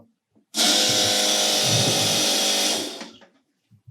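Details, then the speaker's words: Ariel Atom replica with rebuilt fuel tank, lift pump running alone: steady high electric whir for about two and a half seconds, smooth with no rattle; healthy lift pump. "and now let's listen what's the sound of both fuel pumps at the same time probably it will buzz like hell.. here's lift pump alone"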